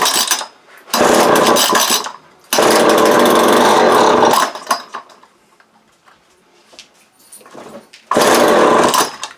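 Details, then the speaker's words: Vintage early-to-mid-1980s Craftsman 22.2cc 14-inch clutchless string trimmer, first start on choke before fuel line replacement and carb cleaning: engine bursts to a loud buzz for a second or two, then dies; runs only on primed fuel. "Yeah, it's a runner. Alright, so now we know that, well, runner."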